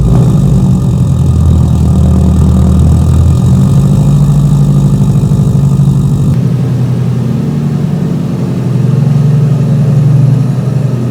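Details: Subaru Forester, cold-start idle with a Cobb 3-port boost control solenoid and revised tune: a rough idle with loose, uneven knocking from the unsupported intake tapping the fender. The intake rattle was later fixed.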